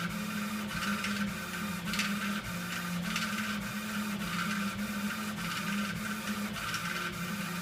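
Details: Epilog laser machine running: steady motor hum with a sharp rattling burst about every three-quarters of a second as the head travels; rattle during operation, cause unclear.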